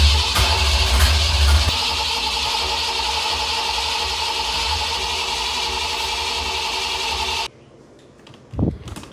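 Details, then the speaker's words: Foxbody Mustang 5.0 HO with heads/cam/intake and T5 swap, first start attempt after upgraded fuel pump, throttle blade cracked open: starter cranks on and on evenly and never catches; mechanically sounds okay, owners suspect the tune; crank no start. "we found out like when we stopped messing with it a minute ago that the car would like it would it would fire up, but other than that, it just like cranks and cranks and cranks and cranks."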